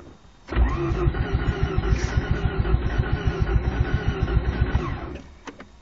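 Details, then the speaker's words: 1988 Mazda RX-7 GXL that sometimes won't start and won't idle, worse after it has run a while: catches and runs unevenly for about four seconds with lumpy pulses, then dies; rough running and stalling. "okay this is my 1988 Mazda rx-7 gxl well it won't start from time to time but if it does start it won't idle so unless I guys try to figure it out"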